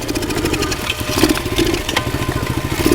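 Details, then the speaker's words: Pit bike after repairs with repacked muffler, engine missing a few mounting bolts: uneven running with ragged, choppy exhaust beat and loose rattling; owner suspects motor vibration from missing bolts, cause unclear. "I'll start it up the H uh-oh doesn't sound good I don't know what that's all about"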